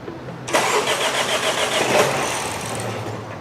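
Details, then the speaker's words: 2024 BMW X1 (U11) after serious front-end collision, battery reconnected: starter cranks at a quick even rhythm but engine never fires; no fuel reaching the front, crank no start. "We're getting crank and no starts. Wait. Checking for fuel."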